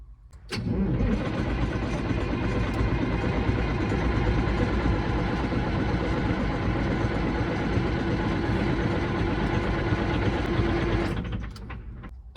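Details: Caterpillar 3406E diesel in a D350E Series 2 haul truck, 18,676 hours, coolant and oil OK, fuel primed: about ten seconds of steady starter cranking at roughly three turns a second, never firing; laptop shows the engine ECM not communicating, so no fuelling.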